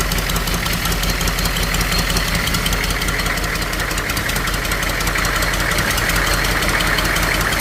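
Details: Humvee H1 6.2 diesel starting and idling with the intake manifold off, after a rebuild kit on the fuel injection pump to fix a fuel leak; steady, even clatter with no stumbles or misses, a normal healthy idle.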